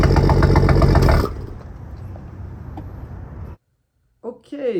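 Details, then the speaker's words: Toyota Supra engine after a troubled dealership rebuild, exhaust heard from the rear: sharp, regular knocking over a rough idle, alongside smoke. The owner believes it is piston slap. "but then the that knocking sound you guys hear that is known as piston slap"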